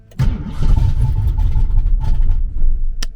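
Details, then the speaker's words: Cold day in South Carolina: about three seconds of cranking with a few uneven firings that never catch, a hard cold start; the car then starts on the next try and later shows a misfire and surging idle that persist when warm. "Almost had it. Let's just try that again. There she goes."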